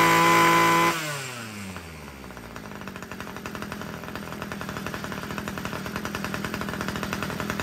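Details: Homelite two-stroke weed eater after richening the carburetor low-end screw: fires up, revs, then settles into a steady even idle without surging; it had been too lean and stalling, now runs properly.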